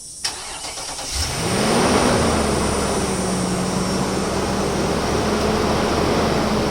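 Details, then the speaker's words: 2016 Infiniti QX80 V8 after fan clutch replacement fixing fan staying on: starter whirs, catches, settles into even idle about 1,000 rpm with no loud fan roar; quieter, healthy, warning light still on. "You can hear that it quieted down now. The revs are all normal. Light still on, but 1,000 RPM."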